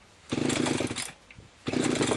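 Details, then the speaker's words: Limex Expert BT 524ba two-stroke brush cutter after starter ratchet replacement and cleaned spark plug: two short buzzy bursts as it catches and revs briefly, starting and running properly; to idle 5–10 minutes to bed in ratchet and starter. "Bây giờ cần thiết cho motokosa nhàn rỗi một thời gian. Có lẽ năm đến mười phút để mài trong các bộ phận ratchet và khởi đầu."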